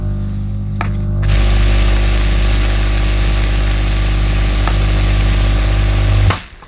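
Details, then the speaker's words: Mid-1990s Hoover Aquajet S4488 spray system after the nozzle jet was fixed and positioned: steady motor and pump drone for about five seconds, then a clean cut-off, spraying in a fan pattern; working normally. "yes that's fine that's how it should be so this nozzle's okay"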